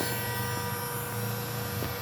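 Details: GPNI 2.2 kW 220 V three-phase ER20 800 Hz 24,000 rpm spindle on a Fuling DZB300 inverter, test run after parameter setup: smooth steady high whine holding constant pitch, no rough or grinding edge; normal high-speed running.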